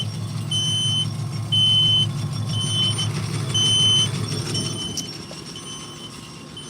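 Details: Gate operator closing the gate with its 3-second start delay turned off: low steady motor hum under a high beep repeating about once a second while the gate travels; operator and unpluggable motion warning beeper working normally.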